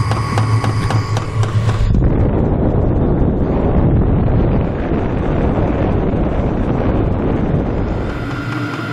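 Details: HCALORY HBH2 5L 8kW diesel heater, warmed up, normal altitude mode at 81 m above sea level: steady even burner and fan whoosh with no pulsing, popping or rattles, runs fairly quietly once hot; normal running.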